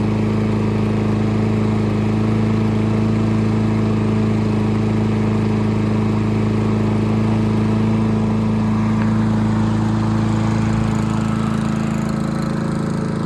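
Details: Craftsman M270 mower, 159cc electric-start engine, after no-start repair: steady, even drone with a clean firing rhythm, no surging or sputter; running properly.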